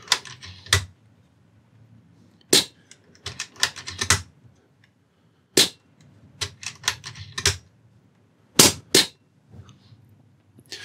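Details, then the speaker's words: AGT Uragan 2 air rifle fitted with a new 260mm carbon fiber shroud: sharp, dry cracks with the shroud quieting the muzzle, remaining noise being action noise, the hammer hitting the valve and the hammer spring rattling at the back. "the main noise that we're still getting is the action noise from the back you still do hear the hammer hitting the valve and also you do hear the hammer spring rattling around inside at the back"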